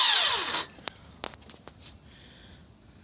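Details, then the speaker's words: 2000 Nissan Altima GXE 2.4L won't start: brief high starter whir winding down fast with no cranking beat, belts not moving, engine not turning; starter spinning without engaging, cause suspected. "see it just rotates engine doesn't even attempt to start just a continuous rotation"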